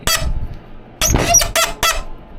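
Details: 1986 Ford F250 clutch and brake pedals squeaking and sticking: sharp high squeaks with each pedal stroke from worn or dry pedal pivot bushings, fixed by replacing the bushing set.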